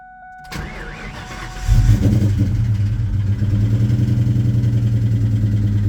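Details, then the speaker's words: 2003 Mustang Cobra (Terminator) V8, newly acquired project car, started up: cranks and catches, then lumpy uneven stumbling idle, a really bad misfire; owner suspects a bottom-end problem, not confirmed. "It's got a really bad misfire. My best guess is that it's got something in the bottom end with the"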